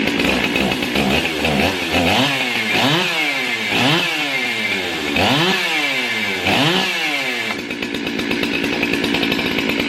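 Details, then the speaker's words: Warm chainsaw revving up and down cleanly, crisp buzz following throttle smoothly; runs well once warm, a bit sluggish from the carburetor when cold. "This saw right here runs really good once it gets warmed up. It's a little bit sluggish when, and that's just a carburetor on it when you first crank it up. Once it gets some heat in it and the cylinder on it, it does really good."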